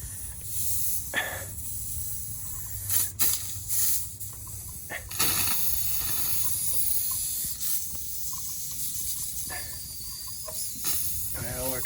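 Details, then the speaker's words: Skoolie (converted school bus) air brake system: a steady, high, audible hiss of compressed air escaping from a leak, loud enough to fail DOT rules. A temporary capped-tubing fix is being considered. "of screwed aren't we well it's pretty bad my dot rules if you can hear an audible leak your d.o.t out of service"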